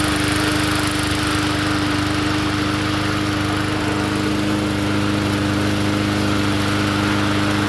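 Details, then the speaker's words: Poulan push mower engine swapped onto another 20-inch deck, running: steady even single-cylinder drone, no misses or surging, sounds healthy; recoil chatters from a weak spring. "Sounds good to me. Finally found I finally found one for this deck. Perfect."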